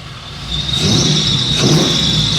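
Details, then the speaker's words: 1973 Chevy C10 after 6.0 swap replacing 454 that wiped out its bearings, Flowmaster FX mufflers, still needs tuning: quiet idle rising to a deeper, louder, rowdy growl when revved, no rattles or popping; normal exhaust note. "These are the Flowmaster FXs, but it does get a little a little rowdy when you rev it."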